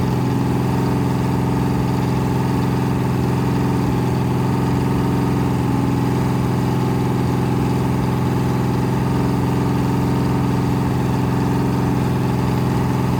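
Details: 426 Hemi crate engine after rebuild (new heads, intake, pistons) on a run stand, at high idle breaking in a flat-tappet cam, about 15 minutes in, near 210°, 50 psi oil pressure: steady, smooth V8 drone without knocks or ticks; normal, healthy.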